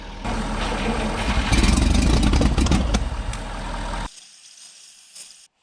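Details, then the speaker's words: 1960 Bombi tracked vehicle, freshly unseized engine with distributor rotated 180 degrees: catches and races at fast, loud, uneven speed instead of settling to slow idle; throttle set too high. "oh yeah uh so which way is this this throttle is way too high"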